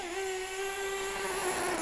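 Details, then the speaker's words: Mugen MBX6T nitro truggy running on 20% nitro fuel while warming up: a steady, soft, muffled buzz with no crisp edge. The mixture is set far too rich. "Oh yeah, you can hear it. Too rich, far too rich."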